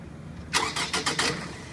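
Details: 2005 Scion tC, cold start: about five harsh, gritty cranking pulses in under a second; grinding noise of unknown cause.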